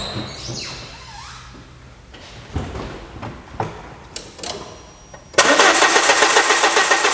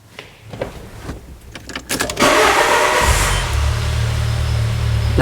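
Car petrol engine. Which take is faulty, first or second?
first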